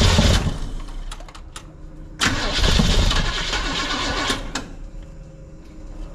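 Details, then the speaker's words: 1971 Chevrolet C10 first start attempt after new cam install, starter wire corrected: two short bursts of cranking, about four turns a second, no firing; cranks but won't start, owner unsure fuel is being pumped. "try that I'm not sure it's pumping fuel too dang short to see over the wires all right gonna try again"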